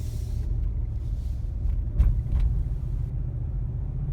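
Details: 2015 Cadillac Escalade while driving: low rumble with dull thumps and a shudder, like rough road or small speed bumps, as if not shifting properly; owner suspects a transmission issue that the dealer says Cadillac is aware of.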